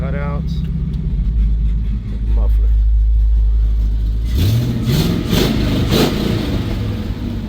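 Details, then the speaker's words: Possibly 1970 Chevrolet C10 V8 after frame crack welded and exhaust reconnected, possibly Flowmaster mufflers with a cutout, in park before warm-up: deep even burble climbing smoothly on throttle blips, no misses or rattles; healthy exhaust. "muffler still sounds good either way actually. So, there are some nice exhausts."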